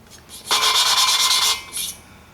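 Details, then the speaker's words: VW cylinder head valve job, with intake seats cut at 45/30/60 degrees, then the valve hand-lapped on its seat: a dry, gritty rasp for about a second, then quieter scrapes; normal valve lapping. "They'll just do the valve job and let the car lap it in. And that's not the way to do it. I was taught to lap it in."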